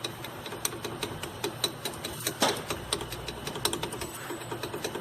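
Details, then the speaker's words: 2012 Renault Duster 1.6 16V flex, about 69,000 km: sharp light knocks, about three a second, as the front wheel is rocked; shocks blown and leaking oil, play suspected in the axial tie rod or steering rack, unconfirmed. "eu já pude notar que os amortecedores estão estouradas além desse lado aqui tá com óleo ele está batendo muito aqui"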